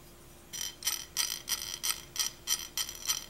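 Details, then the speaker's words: ICS PCR-97 bevel-to-pinion gear mesh after the bevel gear was swapped for a different brand: sharp, gritty rasps about three times a second when turning. This is probably caused by warped metal and marking on the gear. "that does not sound right at all it's probably because the metal is Warped and there's marking here"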